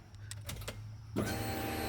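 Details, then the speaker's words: Mitsubishi Mirage Evo, key-on after fitting a new fuel pump setup without hard lines: quiet, then a steady, fairly loud electric pump hum that holds even; the new pump primes normally with enough pressure and no leaks. "it said that sounds like enough fuel pressure for you"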